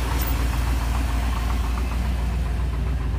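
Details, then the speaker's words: Pickup truck awaiting a second transmission rebuild, first start in about a month after a new battery: rough idle with a faint light tick about three or four per second that follows engine speed; owner suspects the AC compressor pulley. "Boom. Well, that's not a good noise, is it? Of course, that could also be from it not running for such a long time."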